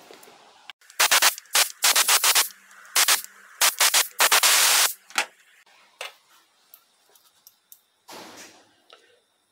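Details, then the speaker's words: 2004 Jeep Cherokee 3.7L V6, 42RLE transmission in limp mode with P0750 (solenoid A stuck): removed solenoid block bench-tested with voltage supply after demagnetizing and flushing in solvent/oil; crisp, clean quick clicks as the solenoid now snaps freely. "you need some sort of medium like liquid whether it's solvent or oil to actually out properly you can hear it's free now"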